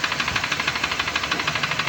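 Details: Honda Civic engine, driven into water, idling with a sharp, steady tak-tak knock about six times a second from a bent connecting rod. The engine is to be opened and repaired.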